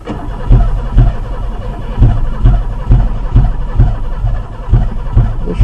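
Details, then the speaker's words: Oldsmobile Ciera on old gas, owner suspecting gummed throttle and clogged injectors: repeated cranking surges with brief attempts to catch, about two per second, and a weird noise up top. It never fires and runs, a crank-no-start with the cause unconfirmed. "So as you see, I could just crank on it, and kept hearing something weird up on here"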